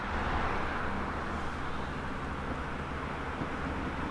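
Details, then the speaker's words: Ford Fiesta after an engine rebuild, at full operating temperature after bleeding air from the cooling system: an even, settled idle with a smooth low hum and no knocks or misses. "et finalement c'est bon là la voiture est à température"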